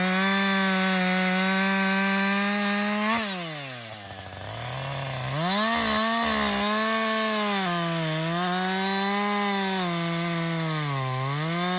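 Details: Husqvarna 562XP 60cc chainsaw, after a dealer reflash of its software for dying when hot and stumbling, bucking windfall: clean howl bogs smoothly into the cut, recovers evenly, no misfire or surging; healthy under load.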